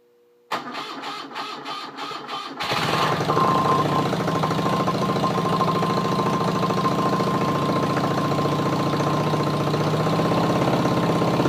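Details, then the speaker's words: BMW R75/5 engine on the bench, battery coil ignition, cold start with carburetor enrichers up: starter cranks about two seconds, fires and settles into steady even fast idle, no knocks; normal choke start. "put the enrichers up on the carburetors fire it up and uh i'll lower the enrichers and see if it will idle on its own for for a bit"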